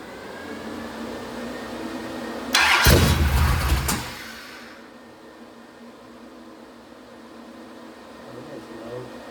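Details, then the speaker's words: Mopar 580 stroker V8 first startup on run stand with mufflers, timing 33 degrees, about 1,400 rpm, 65 psi oil pressure, warming up: cranks, catches with loud rev, settles to smooth even idle, no ticks or misfires; healthy. "I got the timing on 33 right now. It seems pretty happy. We were about 1,400 RPM. Those mufflers definitely chill this thing out."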